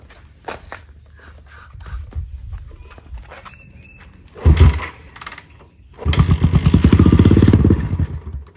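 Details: 50-year-old Honda CL350 Scrambler, parked for years, air boxes loosened and gas squirted into both carburetors: brief ragged firing bursts that catch, rise and fade; engine fires on primed fuel then dies, no fuel drawn from tank.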